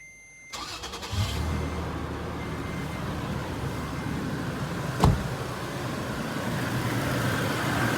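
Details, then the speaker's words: 2008 Toyota FJ Cruiser after replacing idler and tensioner pulley bearings: engine cranks and catches, then settles into a steady, even idle with no high-pitched whine or squeal from the pulleys; much quieter than before. "much quieter than before. We'll get back inside. Much better."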